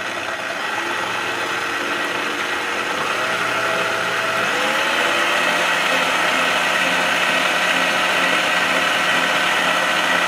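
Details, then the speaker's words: Clatronic KM2718 1000 W kitchen mixer after repair of a slipping, loose belt, with a metal disc added so the belt stays on the gear: motor spins up to a steady, even whirr with no slipping or rattle; working normally. "हां, कार्य सफलतापूर्वक पूरा हुआ, अनुवर्ती कार्रवाई के लिए धन्यवाद।"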